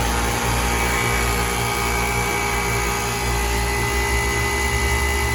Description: how an older kkt chiller should sound like when running the right way